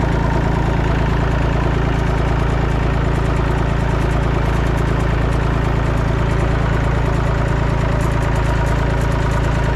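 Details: Massey Ferguson 245 three-cylinder diesel tractor revived after sitting 12+ years. It is being driven to the barn and gives a steady, even low thrum with a regular beat and no knocks or rattles: normal running.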